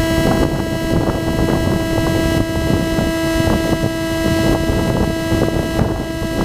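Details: GoPro plugged into a DJI Phantom 2's Zenmuse HD-3D gimbal records a constant mid-pitched electronic whine with evenly spaced overtones over all its audio. Electrical interference in the camera audio, cause unknown.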